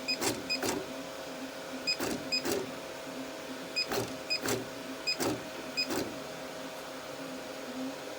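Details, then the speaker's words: Artillery X3 Plus 3D printer: with the Z and Y motor cables swapped, the Y axis still gives short harsh buzz bursts and the bed doesn't move. This isolates a failed soldered-on stepper driver, so the mainboard is replaced. "But when we try the Yaxis, we hear the same bad noise and we can see the platter not moving and the motor gear moving weirdly."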